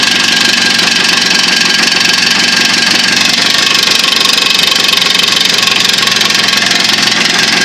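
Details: Jawa two-stroke with new piston kit, new pins and needle bearings, rebored cylinders; busy rattly run with light tapping about four per second, engine knock of unknown origin.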